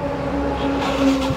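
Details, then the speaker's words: Yamaha Mio i125 scooter test run after replacing shattered rear wheel bearing and refitting side cover and exhaust: steady even engine note, no grinding or rumble from rear wheel; normal running. "guys guys Okay na po siya umaandar na kanina po kasi Basag ang bearing natin"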